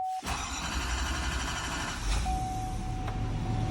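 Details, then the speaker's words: 2022 Chevrolet/GMC 2500 Duramax diesel, restarted after a fuel filter change; the fuel system was primed three times and the parking brake set. Quick crank catches straight away into a steady diesel idle while a dash chime beeps: a clean, healthy start. "so let's see if she'll start here put on the brake let's give her a go"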